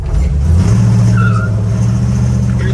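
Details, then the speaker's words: 1947 Hudson pickup, 350 small-block Chevy, TH350, sat about three years: engine labors under load with a brief tire chirp as the truck fights itself, stumbling; brakes dragging/seized from sitting, need freeing up. "so we're going to put it back away and the next thing I guess we got to work on is trying to get the brakes freed up I guess I guess if you let them sit for a little while they don't like it"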